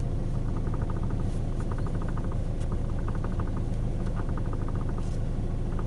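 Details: 2012 Hyundai i40 gives quick bursts of sharp light clicks from the steering over a deep steady engine rumble; steering coupler already replaced but the noise remains, cause unknown.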